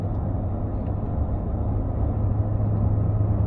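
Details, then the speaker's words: BMW E31 cruising at light throttle: deep booming drone and big rumble that stops when off throttle; hasn't happened anywhere else, source not pinned down. "and there it is yeah and yeah booming droning and a big rumble until you let your foot off the throttle then it goes back absolutely normal"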